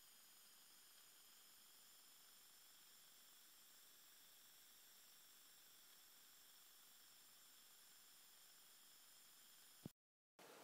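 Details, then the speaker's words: iPhone 4 records only a steady hiss with faint high whistling tones instead of sound when video recording without headphones; audio is fine with headphones plugged in and in calls and voice memos; problem started suddenly. "if I'm recording with no headphones in um it gets all staticky so I'll pull it out and then you can uh hear for yourself what it is"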